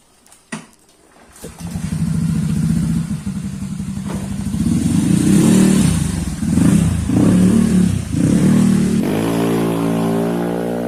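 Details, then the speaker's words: Honda Scoopy eSP bored up to 130cc, engine internals modified, throttle body fitted, after build: light quick crank, catches, revs cleanly in smooth rising sweeps, settles to even idle; normal start. "Nah, ini kita langsung coba starter aja ya guys. Dan bisa dilihat sendiri starternya pun enteng."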